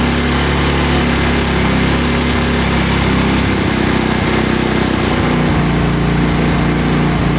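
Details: Mio scooter with a hard-starting complaint: steady, even buzz from the small engine with no knocks or misses; it sounds like a healthy, smooth run.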